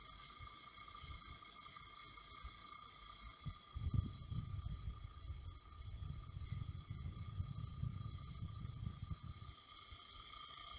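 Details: Brand-new Xiaomi Air Purifier 2S/3H units at low fan speeds, including night mode. Several thin steady whines over a soft low hum; abnormal motor noise with no clear cause.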